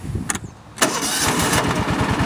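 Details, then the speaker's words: Cub Cadet AGS 2140 Series 2000 tractor after fixing no-start: piece now engages the neutral (dead man's) switch; brief uneven crank, then catches at once and runs steadily; normal start, problem solved. "there we go no problem goes good so that solved the problem right there with it not wanting to start"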